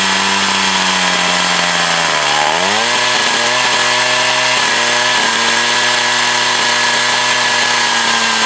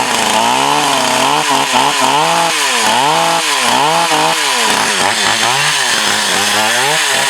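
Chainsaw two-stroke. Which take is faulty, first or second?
first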